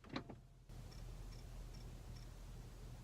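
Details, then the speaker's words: Tesla Model X inside a garage during a software update, after a failed first update attempt; faint, cricket-like high chirp repeating about every 0.4 seconds over a quiet low hum, source unknown; chirping noise. "so I'm doing an update on their Tesla mo X here and there's crickets"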